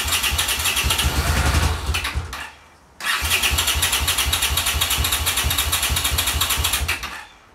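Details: 1982 Honda CX500 twin, neglected for years, carbs cleaned and bench-synced with a welding rod: lumpy uneven idle fades and dies, restarts, then sags and quits again; idle won't hold, cause unknown.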